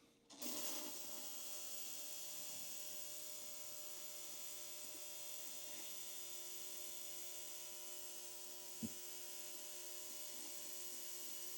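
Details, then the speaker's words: Ultrasonic cleaner cleaning engine parts from a 1958 Pontiac 261 inline-six restoration: switches on to a steady high-pitched buzz over a constant hum, grime lifting off like smoke; normal operation. "You'll hear it buzzing, and once it does, you see what looks almost like a cloud and almost like smoke coming off of the parts, and that means that it's the grime that's coming off of it."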